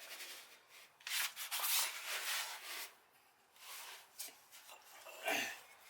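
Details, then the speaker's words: 1966 Plymouth Fury, new wheel bearings and front brake pads, drum spun by hand: soft scratchy swishing rising and fading per turn, light shoe-to-drum rub; owner thinks the adjusting screw causes it. "so we got a little bit of rough contact let's see what that's about i think it's just this adjusting screw"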